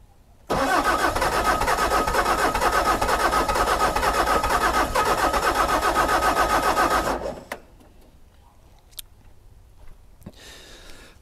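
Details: Bobcat S590 with Doosan D24 diesel, cold at about 20°F: about six seconds of steady rapid cranking, roughly four beats a second, then dies without catching; hard cold start, glow plug, circuit and compression tests planned.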